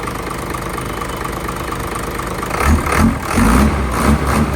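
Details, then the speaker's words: Hino J08C truck, inline-pump 210 hp diesel, parked unused two years, started easily; deep even idle with a slight rise in chug partway, no knocks or misses; engine judged still good. "เครื่องโอเคนะครับเครื่องยังดีอยู่"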